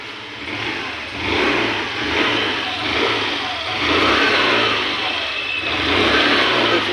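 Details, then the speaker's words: Hero Pleasure Plus BS6 scooter with a missing problem, after cleaning the fuel injector and refitting the fuel pump; it starts smoothly and revs up with smooth, even swells, no misfire, knock or rattle. Normal running. "तो देख सकते हो मैंने वो injector साफ करने के बाद गाड़ी स्मूथ हो चुका है, अभी एक बार स्टार्ट करके आप लोगों को दिखाऊंगा मैं। तो देख सकते हो स्मूथली स्टार्ट हो रहा है।"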